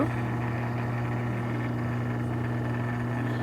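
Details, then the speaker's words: Maytag two-speed washer motor (Frigidaire/Whirlpool type) on its 6-pole winding, about 1191 rpm, 6.3 A, starting without start winding and coil heating: loud steady low hum with strong buzz above; 6-pole winding suspected shorted, not confirmed. "はい、問題ないかもしれませんが、非常に奇妙なブーンという音がします。"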